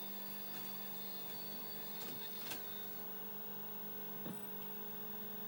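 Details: Telefunken 900M (rebadged JVC HR-C3, 1982 portable VHS-C deck) after loading repair, playing back a fresh camera recording: quiet steady whir over low constant hum with a couple of light clicks; tape transport running smoothly.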